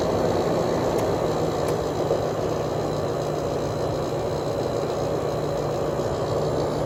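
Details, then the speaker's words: Sharp 10,500 BTU window air conditioner, cleaned, Samsung fan motor with oiled bearings, just after startup and already cooling: smooth constant fan rush over a low compressor drone that has evened out, no knocking or labouring; normal compressor running. "already starting to get cold compressor sounds great [Music] okay the compressor is pretty much evened out on this thing"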